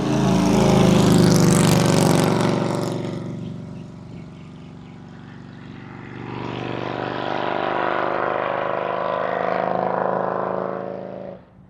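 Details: 2003 Harley-Davidson Road King 100th Anniversary with new headers, fishtail exhaust, Andrews 26A cam and ThunderMax on pass-bys: deep, even V-twin rumble swells, fades and builds again; steady firing, no misses or knocks; healthy engine.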